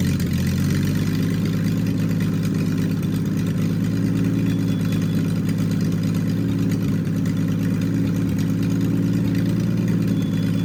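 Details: Triumph TR6 rebuilt engine, first start, warmed up, chokes off, after distributor adjustment: even, steady fast idle, smooth low drone, no misses or knocks.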